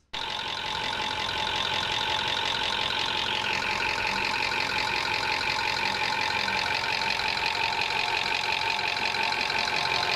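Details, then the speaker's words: Toyota engine with over 300,000 km and stretched service intervals: fast metallic top-end valvetrain rattle over the running engine, from poor maintenance and sludge-starved valvetrain parts. "In the next clip, I'm going to be demonstrating a similar type of noise, but on the top end. On this case, it's a Toyota engine."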